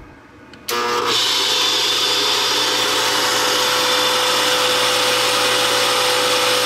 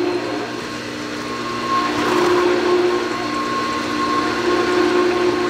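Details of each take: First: Sta-Rite Max-E-Glas 2 pool pump motor, 11 years of several hours' daily running, starting up with a loud, harsh, high-pitched screech that grows louder as it spins up: worn motor bearings, motor replaced. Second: Sta-Rite Max-E-Glas 2 pool pump after a new motor replaced one whose bearings failed after 11 years, system primed with water: even, quiet motor whir with water rushing through, no grinding, rattle or squeal; running well.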